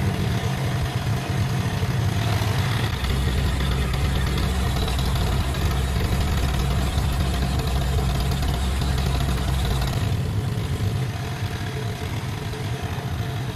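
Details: Ferguson T20 tractor, a barn find standing for 38 years, revived and taken out for its first drive, with some small leaks noted: a steady, low, even chug with no knocks or misses. It runs healthy.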